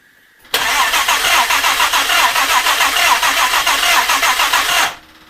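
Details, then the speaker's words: Jaguar E-Type 2+2 under restoration: steady cranking about 3.5 beats a second for four seconds, never catching; carburettor dripping and weeping fuel, float level suspected wrong, timing not yet set. "drove i don't know i think right i mean that is dripping fuel i mean that's dripping out there which stock makes you think that float levels wrong"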